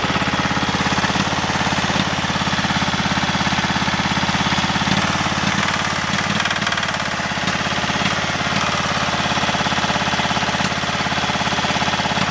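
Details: GT5000 engine at idle with heavy regular knocking about three times a second, a deep rhythmic hammer typical of a worn connecting rod bearing; rod knock.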